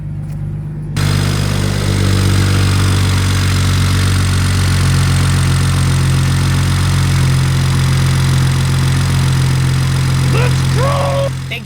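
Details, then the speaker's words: BMW 335i N54 manual with single-mass flywheel, warm idle raised to 900 rpm via tune: steady low idle with transmission chatter and rattle largely gone, after fix. "Alright you guys, so my idle should have been raised up to 900 now. Let's check it out. So yeah, instantaneously you can tell the difference."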